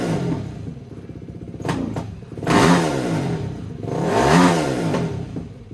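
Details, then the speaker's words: Yamaha YFZ450 race quad, restored after sitting a while: clean throttle blips rising and falling smoothly between idle and revs, no knocks or rattles; engine healthy, though the owner notes very bad throttle response, possibly improvable with a carburetor mod. "guys, there you have it. This thing rips. This sounds gnarly."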